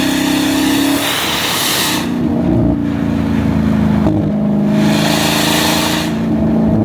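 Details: Dodge Demon 170 under hard throttle: loud, raspy exhaust roar climbing steadily in pitch with a coarse drone, the sound one engineer called normal; a second Stellantis engineer found the exhaust system faulty, needing full replacement.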